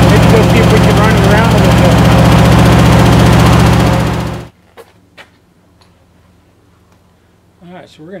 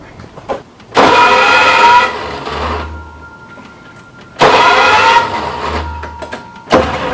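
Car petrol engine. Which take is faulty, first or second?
second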